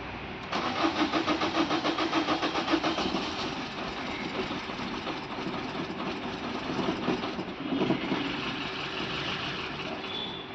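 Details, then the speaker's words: Maruti Suzuki Swift diesel won't start after owner filled it with petrol once the diesel ran out; petrol in the fuel rail and injectors. Steady starter cranking at about three and a half turns a second that never catches. "അദ്ദേഹം ചെറിയൊരു അബദ്ധം സംഭവിച്ചുപോയി കാരണം fuel തീർന്ന ശേഷം അദ്ദേഹം അതില് petrol ഒഴിച്ചു"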